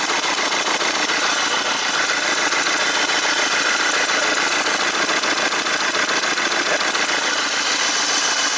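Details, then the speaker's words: Mercedes Vito 115 CDI diesel at idle: a sharp, rhythmic puffing hiss about twice a second as compression leaks past the worn copper sealing washer of injector number two, causing black tar. "Look, now that I've uncovered the leak, you can see the leak perfectly. Now that I've recognized the sound, it's like a pressure."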